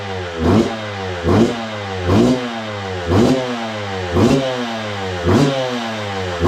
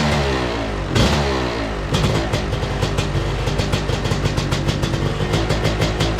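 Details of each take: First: 2002 Yamaha YZ125 two-stroke dirt bike that sat a long time, first run after cleaning, choke on: crisp throttle blips about once a second, revs rising and falling cleanly; no knock or clatter, crank sounds good. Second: 2002 Yamaha YZ125 two-stroke dirt bike, kick-started; it fires right up but crackles and revs unevenly, popping and stumbling instead of pulling clean. Rough running; owner suspects it needs a top end, possibly jetting, cause unconfirmed.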